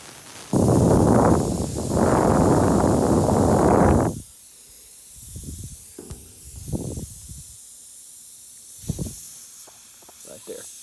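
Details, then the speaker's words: American Standard TEM6042 air handler, evaporator replaced a month earlier: loud steady refrigerant hiss for about three seconds from a bad factory solder joint with visible gap on the evaporator coil; refrigerant leak. "It's a bad solder joint from the factory."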